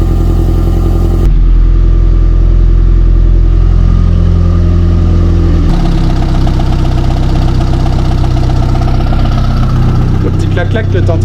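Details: Golf drag car first start after rebuilding the fuel system, fuel pump running, started without waiting for oil pressure: starter churns briefly, then it catches and settles into a fairly even idle with light revs; starts and runs normally.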